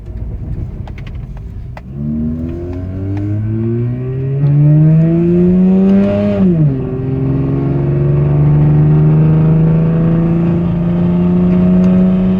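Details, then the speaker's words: 2004 Mazda RX8 automatic in auto/manual mode, replacement engine fitted at 60k miles, now 104,245 miles: strong in first, then uneven fluttering drone rising with revs under load in second and third gear; cause unknown, owner fears engine failing. "uh has sort of a noise that when you change it when it's on auto, uh auto manual, it will uh kind of make a fluttering noise, but you can you can check it out."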